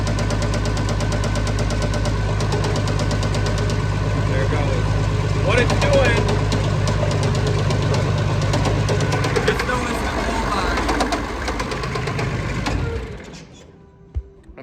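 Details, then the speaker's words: Tired Perkins 354 diesel in a mixer tractor: heavy uneven banging about three times a second as broken top piston ring pieces lay on the piston and smack the head; banging expected to go away. "what they do when they get tired out pistons and rings get tired what it'll do is it'll start breaking pieces of ring off the top ring"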